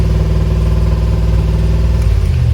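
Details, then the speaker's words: Original Land Rover Discovery, long unrun, started after its firing order was rechecked; the tachometer isn't working. An even, fast engine note holding far above normal idle with no dip or hunting. The idle is much too high. "Not sure why the tach isn't working, but the engine's running. A very high idle, obviously."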